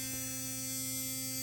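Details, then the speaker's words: Philips Sonicare DiamondClean 9000 toothbrush, opened, motor magnet held off the coil with a screwdriver to stop rubbing that caused loud buzz: quiet, steady high-pitched hum with no harsh buzz or rattle; normal motor hum. "you can see it's significantly quieter and it still offers oh so you can actually see just a little Gap now between the coil and the magnet and that just kind of oscillates"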